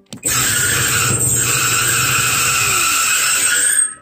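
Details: Whirlpool Cabrio dryer: loud, steady high-pitched squeal that holds its pitch while the drum turns, caused by a worn idler pulley and pulley bracket, fixed with a kit of belt, idler pulley and rollers.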